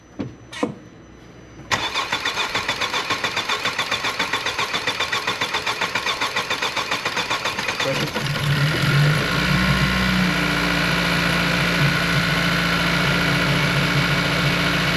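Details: 2016-2021 Honda Civic Si (10th gen, L15B7 turbo) after fuel injector replacement with revised injector kit and rail feed line, no leaks found: even starter cranking about two and a half beats a second, catches cleanly, settles into smooth steady idle; healthy start.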